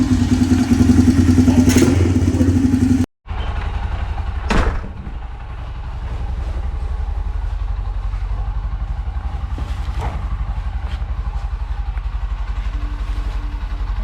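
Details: 2001 Honda TRX250EX ATV after sitting over 10 years, carb, tank and fuel lines cleaned: brief burst, short cutout, then steady single-cylinder thump about four beats per second; idles evenly.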